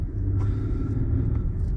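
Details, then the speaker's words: Infiniti FX37 (QX70) after valve clearance adjustment, valves had been found too tight on one head, spark plugs now grey: low, even idle rumble with no skipped beats or stumbles, running smoothly with no misfire. "От працює, пропусків, запалювання нема, все класно."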